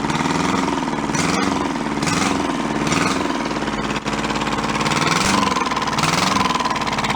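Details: Junked small Kubota diesel from a scrapyard, running after correcting reversed throttle and shut-off solenoid wiring: steady, even clatter at constant idle, no knocks, misses or hunting. Runs cleanly, good oil pressure.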